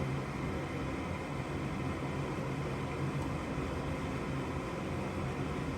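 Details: Gas furnace that only makes noise with no flame: steady draft inducer fan rush with no burner light-off. The hot surface igniter reads OL with no continuity despite 120 V supplied, so the igniter has failed.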